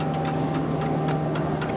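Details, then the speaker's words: Diesel heater being installed in a Promaster van, priming: steady ticking of the dosing pump about four clicks a second over a low hum; normal, keep priming until air bubbles leave the fuel line. "so as soon as you prime it you'll start hearing a clicking noise"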